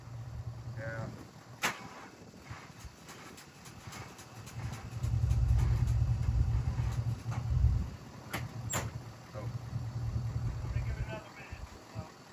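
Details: Cold start attempt on 1967 Mercury Park Lane, 410 Ford FE engine, on jumper cables: sluggish labored cranking at a few turns per second, never catches; battery deader than thought, timing needs adjusting.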